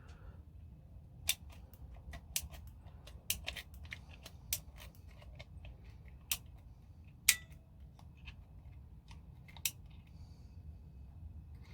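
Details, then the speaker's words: ASG Scorpion Evo airsoft gearbox during rebuild, gear turned by hand: sharp, isolated clicks at uneven spacing, about ten in twelve seconds, as the anti-reversal latch catches the bevel gear; the latch is working properly. "So to do that, we're just going to turn our gear and you can hear it clicking. That means it's catching the bevel gear, which is good."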